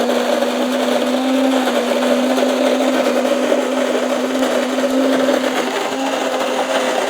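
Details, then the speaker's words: Cuisinart DGB-900BC Grind & Brew 12-cup coffee maker filled to the 12 mark, grinding beans: a steady high-pitched motor whir with an even gritty grind and no catching or surging. Afterwards, clicking as the part above the brew basket rotates. Normal grinder operation. "okay so it's done grinding the coffee now you hear that kind of clicking it's rotating that thing on top of the brew basket again"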